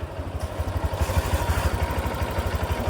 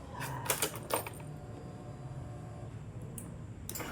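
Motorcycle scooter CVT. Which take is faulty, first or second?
second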